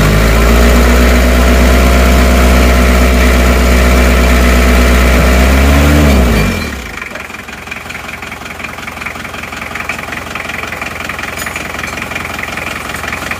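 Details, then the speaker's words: Isuzu Panther 2.3 diesel just rebuilt with new water pump, shortly after first start: steady, even idle with a regular low beat for about six seconds, then shut off; smooth, normal idle. "cek dulu kemarin saja sudah ngobos sekarang lihat sehat walafiat Ya aman halus suaranya halus"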